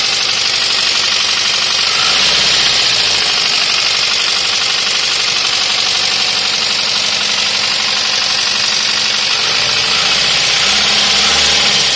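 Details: Toyota 1ZZ engine at idle; sharp, steady metallic ticking about four times a second from the top end; extremely bad valve train noise from worn valve buckets/tappets, valve lash.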